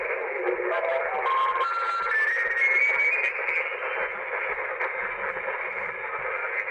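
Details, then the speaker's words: uBitx transceiver with Nextion screen and CEC firmware, tuned down toward 80 meters: steady hiss and jumbled broadcast mush; S-meter pegged, radio slammed by surrounding AM stations, attenuator does nothing, very prominent on 80 m. "So the radio is, it is being slammed by all this AM radio that's all around it."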